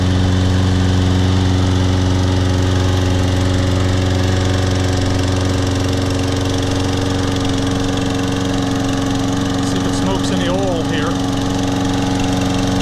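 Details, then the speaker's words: Toro Personal Pace Recycler 22-inch, Briggs & Stratton 190cc engine, first start after carburetor cleaning, tank flush and new air filter: steady, even putter around idle, no misses or surging; runs great. "runs great hello the trash picked one more like this the height adjustments loosen up that is nice please Wow runs great very nice mower bought it"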